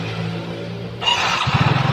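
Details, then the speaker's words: Yamaha Mio Soul GT fuel-injected scooter that would not start: after loosening over-tight valve clearance, brief starter whirr then it catches and settles into an even pulsing idle; tight valves were the cause. "Ternyata si klepnya yang terlalu rapat, alhasil ini motor kagak nyala."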